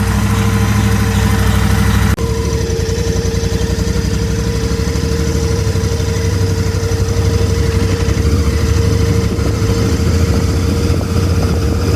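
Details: Royal Enfield Interceptor 650 twin idling with a steady, mid-pitched howl held fixed over the low, pulsing engine beat; abnormal howling engine noise, cause unknown.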